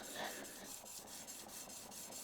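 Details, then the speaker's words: Plane blade being flattened on a sharpening plate after cleaning off grit picked up from sandpaper that had caused a clicking sound: even, steady rasping strokes with no clicks, the blade now sliding cleanly. "I just heard it making a different sound. So, I'm just going to clean it and come back. That sounds better."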